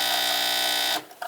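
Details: Refurbished Saeco Via Venezia espresso machine near the end of a double shot, around 25 seconds; steady, high, even vibratory pump buzz for about a second, then cut-off to faint drips: normal vibratory pump buzz.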